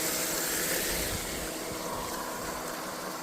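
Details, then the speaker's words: Old water pump running a gold highbanker at a creek: a loud rushing hiss with a rough, gritty edge; its bearing is almost gone from silt passing through it, and the owner expects it may fail soon. "but you can hear the pump's pretty noisy. So, I don't know how long that'll last. So, hopefully I can get a bit done before it shits itself."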